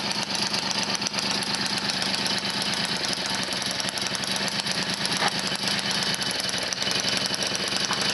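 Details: Motobécane 51 VS moped, 1978, small two-stroke started after a full engine rebuild (new rings, bearings, seals, clutch, points, condenser) following thirty years seized; starts first kick, rapid crisp rattle at steady idle, even beats, no miss; running normally.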